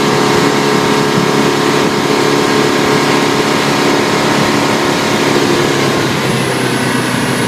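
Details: 2012 Bayliner 175BR boat engine running with the engine hatch closed: thin steady high-pitched squeal holding its pitch over the engine; source not found.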